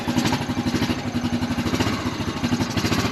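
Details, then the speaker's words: 2003 Honda Rancher 350ES, about 4700 miles, running after a pull-start: uneven, lumpy putt-putt at about six pulses a second, struggling because the choke is stuck; carb cleaning and choke replacement planned. "that good cuz the choke is stuck so I'm just going to go ahead and clean that carburetor change out the choke and then we'll see how she runs then"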